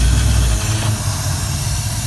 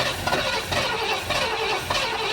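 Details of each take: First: 1973 Ford Econoline van, 302 V8 with C4 transmission, parked 7+ years, refuelled and started with the fuel pump powered constantly, started in gear: catches easily and settles into a deep, steady rumble. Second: 1973 Ford Econoline van, 302 V8, C4 transmission, parked 7+ years; cranked via jumper to solenoid with fuel line disconnected and no fuel from it; even slow cranking pulse, never fires; no fuel supply.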